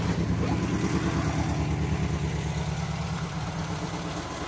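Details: Cold Ford V4 (balance shaft, air filter off) idling with a lumpy, throbbing beat about three per second, steady and even; unusual note from the balance shaft, a healthy normal idle.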